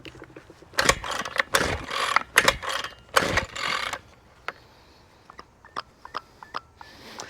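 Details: Six-year-old Ryobi string trimmer said not to start, possibly old fuel; quick rasping recoil pulls dying out with no firing. Owner suspects bad carburetor or plugged fuel cap; leakage around carb noted. Cranks but won't start.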